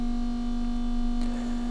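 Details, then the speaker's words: Land Rover Defender 90 Td5 on a rolling road, ignition on during stock-map flashing: constant low electric hum with thin whine from a non-standard aftermarket fuel pump, very noisy; noisy fuel pump whine. "Once that's flashed on there, cool, I don't know if you can hear that, that's the fuel pump. A non-standard pump that can often not be ideal."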